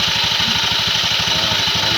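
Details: Honda Beat injection scooter after reassembly to cure snoring/jerking: small engine idling evenly at about a dozen soft pulses a second, no snoring or jerking; normal idle.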